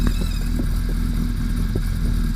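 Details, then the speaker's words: Gen 1/Gen 2 Suzuki Hayabusa during counterbalancer adjustment: steady idle with a faint, high, constant whine from balance shaft gears set too tight. "So you're going to hear the engine whine when I turn this balance shaft too far. Don't worry, you're not going to hurt anything. You hear it start to rattle. Now you hear the whine."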